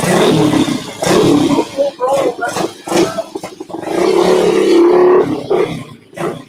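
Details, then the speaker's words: Motorcycle revved hard, roar dropping away near the top of the rev range; bike has run lean all its life, cutting out on top despite the choke being hooked up. "Y'all can hear that? It was cutting out on top."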